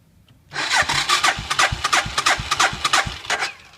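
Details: 1997 Suzuki Savage 650 single, cranking in neutral with clutch in and choke pulled, about three strokes a second for three seconds, never firing. It stalled while parking after running out of gas earlier; cranks but won't start.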